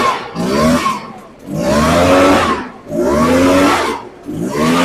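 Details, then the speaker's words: Echo PB580T backpack leaf blower two-stroke, rebuilt after a seized engine that wouldn't turn over; started with choke and fresh fuel, now idling and revving in three quick clean blips from steady buzz to crisp high wail, dropping back evenly; healthy normal running. "going to let that idle for a while. That sounds really good."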